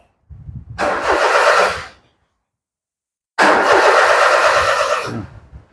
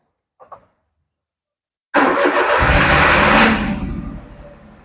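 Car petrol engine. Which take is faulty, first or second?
first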